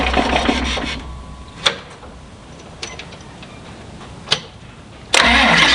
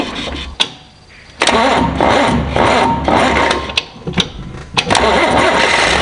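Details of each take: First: John Deere 2955 tractor diesel after installing gear reduction high-torque starter to overcome slow cranking from a loaded hydraulic pump; steering wheel not turned: brisk, even, non-dragging cranking, quick catch, steady run; normal fast cranking and start. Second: John Deere 2955 diesel tractor on its old starter, before a gear-reduction starter is fitted: hydraulic leaks keep the pump stroked so it loads the engine, and the starter drags it over slowly in uneven bursts.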